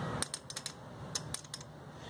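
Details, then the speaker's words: Cold start injector on a 5-injector engine with slow starting, tested with the engine off: sharp uneven little clicks, so it is firing but delivering no gasoline even after cycling ignition; suspected clogged, needs cleaning. "se escucha que suena pero está tapado seguramente porque no avienta combustible"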